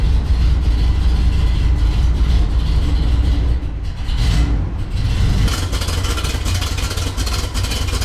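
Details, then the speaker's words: 1974 Corvette 454 V8 on test drive after tune-up with new spark plugs and oil change, previously rough from fouled plugs after winter storage: deep, steady, smooth rumble with no misses or knocks, running great. "Spark plugs put in, is running great. It's a lot happier."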